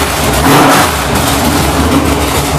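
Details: GM ZZ6/604 (CT400) small-block race engine with headers and carburetor on a test stand, gauges normal: crisp, even firing revving up cleanly and settling back without misses or knocks; running healthy.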